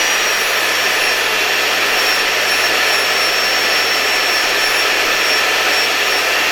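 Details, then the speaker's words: LG V-3340D vacuum cleaner fitted with new 1400W replacement motor, old motor noisy likely from bearing: smooth, even high-pitched whir at constant speed, no scraping, crackle or wobble, no excessive sparking. Normal motor run. "And it seems to me that our new motor is working very well. If I remember correctly, I ordered a 1400W motor, just like the maximum power listed here on this vacuum cleaner."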